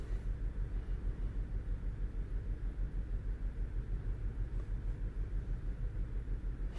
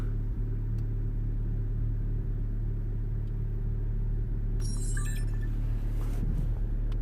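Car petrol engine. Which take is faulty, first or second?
first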